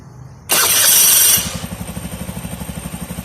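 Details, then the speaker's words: Old motorcycle with an imitation (non-genuine) starter motor, started on a borrowed Yuasa battery over several attempts; harsh, high starter whirr for about a second, then the engine catches into an uneven idle; the imitation starter motor and the owner's old battery are both faulty. "เพราะฉะนั้นคือตัวมอเตอร์สตาร์ทของเขาเนี่ยเป็นของเทียมมันมีปัญหาแล้วก็แบตเตอรี่ของเขาเนี่ยนะครับมันก็มีปัญหาด้วยนะครับ"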